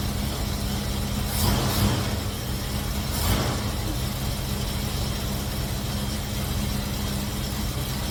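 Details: Cutlass after fitting MSD 8225 HEI coil, MSD 83647 module, Moroso Ultra 40 wires and ACDelco R44LTS plugs to cure long-running misfire: steady, smooth idle with brief rev swells, no stumble or miss, with timing set close, carburetor circuit adjusted, vacuum mid-range.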